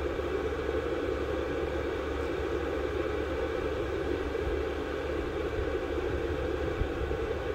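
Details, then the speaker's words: VEVOR 8kW 12V all-in-one diesel air heater, bench-run outside on an old battery with cover off, exhaust around 300°F: steady, even rush of air with a low hum, no knocks or pulsing; quiet normal running. "it's nice and quiet it just sounds like air"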